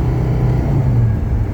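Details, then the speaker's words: 1980 Mercedes 300SD (W116) turbodiesel, automatic, test drive after turbo wastegate hose replacement: diesel drone climbs under throttle then drops cleanly to a lower note with no flare or thump; perfect smooth automatic upshift. "perfect transmission shift these the 116s shift so much better than 123s or 126s"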